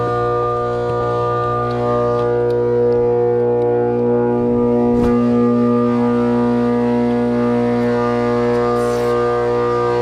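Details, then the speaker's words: Trane R22 4-ton condenser, quarter-horse 208/230 V 825 RPM fan motor, unit sometimes runs and clunks, head pressure very low from a leak: loud, steady droning hum with a hard tonal edge; fan motor bearings shot. "Yep, bearings are shot on it."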